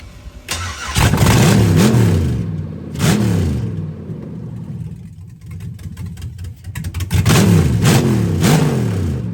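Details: Turbo LS-swapped Fox body Mustang, first start after new AN fuel lines and fuel pump, open exhaust: loud V8 with sharp throttle blips rising and falling, catching cleanly and settling between revs, no leaks; normal running.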